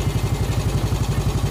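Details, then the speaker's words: Yamaha Vega ZR single-cylinder after piston and camshaft work and one valve guide replaced: steady brisk idle, smooth, no valve ticking, throttle set slightly high; oil circulating to the head. "gasnya agak sedikit kegedean. Untuk suara bagian sini nggak ada suara tek-tek-tek, nggak ada suara us."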